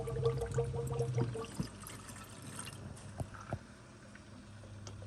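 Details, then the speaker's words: E93 after replacing the electronic water pump and thermostat, bleed procedure (pedal held 10 s, battery on trickle charger): quiet pump hum with bubbling, trickling gurgles and a few pops as trapped air is pushed out; coolant drawn down. "I'm going to wait to listen for the water pump to turn on and there it goes there she goes she sucked all of that down already"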